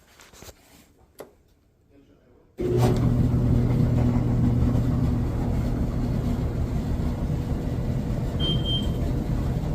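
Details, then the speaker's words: Samsung dryer reported noisy: loud, steady low rumble with rhythmic thumping as the drum turns on worn rollers, one with its middle piece fallen out; roller kit replaced. "all right so it sounds like we got bad Road these are the old Wheels we got to change out"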